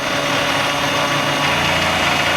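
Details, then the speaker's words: 3018 CNC router engraving aluminum with a small engraving cutter: harsh buzzing whine with grainy texture as the tool chatters and vibrates heavily while cutting. "all right it's chattering a lot and vibrating all over the place"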